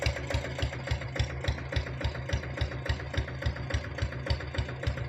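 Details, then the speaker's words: Fully restored old Royal Enfield diesel Bullet after oil service and head work only, with no other engine work: even, steady thump of about 3.5 beats per second over a low rumble. Normal, healthy single-cylinder idle. "வண்டி இன்ஜின்லாம் சூப்பராக இருக்குங்க. இன்ஜினில் நாங்கள் எந்த ஒர்க்கும் பண்ணல, oil service பண்ணியிருக்கிறோம், head வேலை மட்டும் செஞ்சுருக்கிறோம். பீட் சவுண்டு கேளுங்க."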